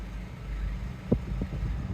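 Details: 2014 Jeep Wrangler JK 2.8 CRD diesel just after an oil change, filter, coolant and air filter service: start-up and steady low diesel rumble at even idle, no knocks or rattles, no oil leaks; healthy normal idle.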